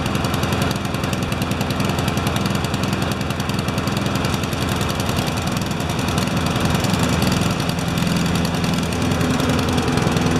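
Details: Honda lawnmower with automatic choke, running before its tune-up (one of two mowers, one on an MTD frame): a steady, even chug with a regular firing beat and no wobble or shake; healthy, warming up.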